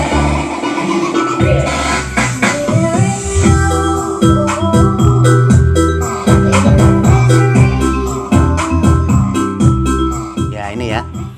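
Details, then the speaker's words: Repaired 400-watt amplifier driver that previously distorted at low VCC, tested at about 20 V supply playing music via Bluetooth: full, clean sound with no crackle, buzz or breakup; stable at low VCC. "Bahkan pada tegangan VCC rendah, suaranya tetap bagus. Suara tetap stabil pada VCC rendah."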